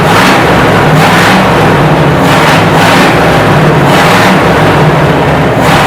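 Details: 1968 Chevy C10 V8 just revived after sitting 15–16 years on old fuel: crisp throttle blips about once a second, each rising cleanly and dropping back; good oil pressure, revs freely, healthy, maybe needs a touch of tuning.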